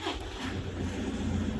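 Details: Toyota after alternator repair for loud noise from engine bay, battery about one year old, voltage rising from 12.3 to 13, AC max and headlights on: low steady hum, no squeal, chirp or rattle from the front; healthy and smooth.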